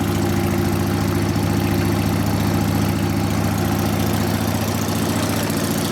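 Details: 1999 80ci Evo V-twin, first start after rewiring: uneven loping idle about 3.5 beats a second, stumbling, not settling; idle mixture 2.5 turns out, owner suspects fuel starvation, needing bigger low-speed jet, accelerator pump maybe dry. Rough idle.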